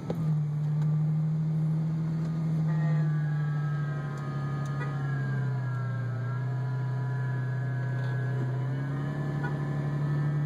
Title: Strange clutch noise on 03 stage 1 roush